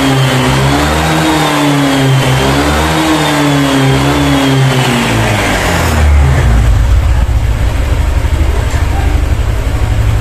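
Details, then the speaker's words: Honda Vario 150 scooter after adjusting and manually resetting the throttle position sensor: revs up and down smoothly with no stutter at high rpm, then settles into a steady low idle hum; fixed. "Oke untuk si varionya sudah kembali normal ya tidak ada gas merebet lagi pada Rp matas"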